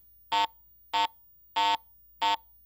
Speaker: a Target based on its metal type and its conductivity is simply reported by one of three different tones a low